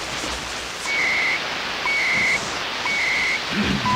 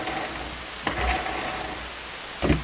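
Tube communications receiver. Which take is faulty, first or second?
second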